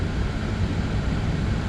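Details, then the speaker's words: Audi Q7 heater blower motor after removal, cleaning and lubrication, refitted and stepped through fan speeds toward twelve: steady airy rumble with no squeak or chirp for now; squeal later returned despite cleaning, so owner got a new motor to fit. "Пока никаких посторонних шумов не слышно. Печка работает, все дует, все хорошо."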